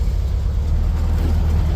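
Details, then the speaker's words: 1973 VW Beetle air-cooled four, in neutral, after plug wires were reset to the 1-4-3-2 firing order and the distributor was roughly refitted with timing not yet set: deep, steady, even chugging with no misses. Normal smooth idle. "Oh, it sounds way better. Listen to how smooth that is. Holy smokes."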